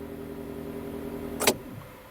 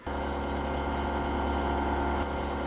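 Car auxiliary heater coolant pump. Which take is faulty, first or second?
second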